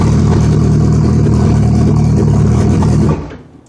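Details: Suzuki Hayabusa (Busa) hard to start: starter spins the engine in a steady rapid churn about three seconds without catching, then stops; owner reports fuel pressure drops while cranking, cause not confirmed.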